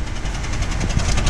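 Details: 2011 Honda Civic four-cylinder, flashing check engine light, P0303; deep, uneven chugging idle that lurches and shakes the car, bad smell from the muffler; cylinder 3 misfire from a failed ignition coil.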